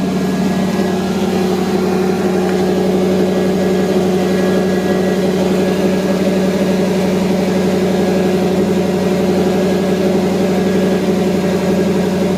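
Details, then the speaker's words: 1982–92 Firebird/Camaro after replacing the failed fuel pump (first thought to be bad fuel) and tank: steady, even idle with a smooth low rumble and no hunting, misses or ticks, where before it idled up and down wildly. "Sounds really good. It's nice, idling nice and steady. Before it was idling up and down, kind of crazy."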